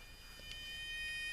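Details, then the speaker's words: Thomas TrackMaster toy engine, thin high electric whine holding steady and slowly louder, no rolling rhythm; motor runs but wheels don't turn, cause not confirmed. "So, um that you can hear the motor going, but he's not going. So, uh well, it's not technically working."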